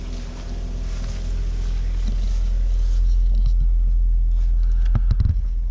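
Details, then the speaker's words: 2014 Ford Fusion 1.5L EcoBoost running after a new alternator was installed to replace a bad one: low, steady engine rumble with no whine, grinding or smoke from the alternator and no codes; normal running. "Alright, good news so far. I don't hear any noise coming out of, abnormal noises coming out of the alternator anymore. No smoke, so that's good."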